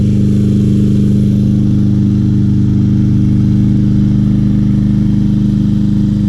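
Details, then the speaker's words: 2020 Craftsman M320 self-propelled mower, 163cc Briggs & Stratton, started despite clogged air filter, possibly stuck float freed: steady even low drone with no misses, knocks or surging; nothing wrong found, normal running. "very nice Craftsman lawnmower didn't really find anything wrong with it very easy fix"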